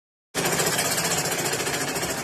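Fast, hard clatter at a steady stitching rate, far louder than a healthy machine, points to excessive play in the mechanism. Cause suspected, not confirmed.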